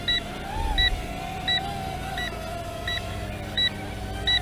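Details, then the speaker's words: Potensic U36W optical-flow Wi-Fi FPV drone in flight after more than four minutes: the controller gives short high double beeps about every 0.7 s over the propeller buzz, the low-voltage warning, while the app vibrates the phone. "we're getting the low voltage beep and what you'll get is the app will make your foam vibrate and then you'll hear the beeping on your controller so you know we're at low battery"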